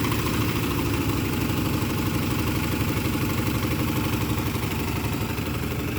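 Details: 2003 Chevrolet Trailblazer with the aluminum 5.3 V8, first start in cold weather; rough, uneven, loping idle with light ticking; a dead cylinder, suspected from a couple of stuck lifters.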